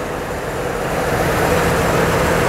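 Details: 2004 GMC Envoy petrol engine after replacing a water-filled faulty ignition coil on a cylinder misfire (P0301): steady, even idle hum with no stumble or skipped beats.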